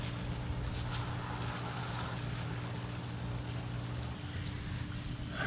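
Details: Pool sand filter pump after repair (new valve, recycled-glass media), running on filter with bubbles and suction: even low hum, steady motor tone and water rush, no rattles or surging, louder burst at end; normal running.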